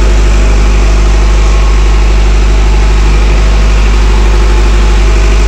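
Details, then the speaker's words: Intergen/MWM 40 kVA diesel genset at 382 hours, 13.7 V battery, auto mode, warming up at idle after start. Steady, even low drone with no misses, knocks or hunting. It waits until stable before transferring power. Normal idle. "Dia ada jeda main, dia tidak langsung mengoper. Tapi sudah stabil dia baru ngoper listrik. Inilah manasnya."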